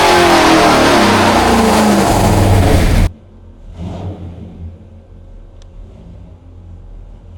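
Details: 426 Hemi V8 on a dyno, rebuilt after a holed piston, good oil pressure, carb secondaries open, rich mixture, during a timing test: hard, clean rise in revs for about three seconds with no rattle or ping, then dropping away; healthy full-throttle pull.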